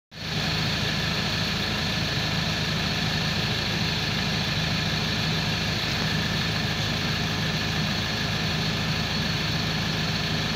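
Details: Ford Transit 2.2 rear-wheel-drive diesel van idling: steady high-pitched whistling over the engine rumble; failed turbo with excessive shaft play.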